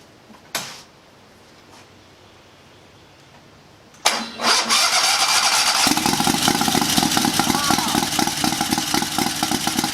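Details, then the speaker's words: Turbocharged 670cc Chinese V-twin buggy with billet rods, billet flywheel, heavier valve springs and bigger cam, draw-through carbureted turbo, first start on boost with choke: brief crank, catches at once into a quick even idle with no flutter; healthy start. "Wow, that is insane. Guys, I'm pretty shocked. I did not think it was going to start up that fast."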